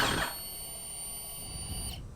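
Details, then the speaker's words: Husqvarna FC250 with a new fuel pump plugged into the harness: a clean, steady high whine for about two seconds, then a sharp cutoff as the pump primes normally. The old pump was silent, confirming it was bad. "hear that that's the fuel pump ready let's do it again that's the fuel pump guys the fuel pump is turning it is working"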